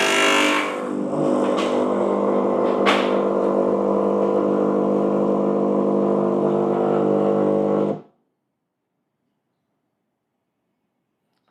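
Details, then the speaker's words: Gemilai 3007Z espresso machine started cold for heat-up test: steady low buzzing hum about eight seconds then cutting off, vibratory pump running longer to draw water into the tank; normal priming, noisier than the 3007L. "right the pump runs a little bit longer because I think it is drawing water into the tank so you can see that initial uh trying to draw the Water by using the VAP vatory pump so that is the reason why you can hear the more noisy bump for the newer version"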